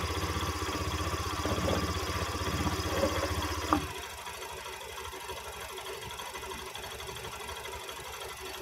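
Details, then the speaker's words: Honda Beat eSP scooter: heavy, rough knocking while the starter labours for nearly four seconds, then quits; CVT found with nothing broken, mechanic suspects a broken starter part hitting the pinion, sound also suggests a tired battery; unconfirmed. "biasanya kalau bunyi krok seperti itu biasanya dari Persia ini yang patah ya jadi dia turun sendiri kemudian menghantam bagian pinion yang ada di sebelah kaki itu ya jadi dia bunyi ini"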